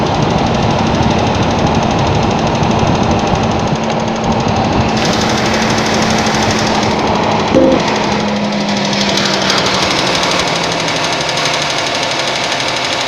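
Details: Suzuki Vitara running cold: rapid uneven clattering knock, roughly two to three a second, loud over the idle; knock present when cold.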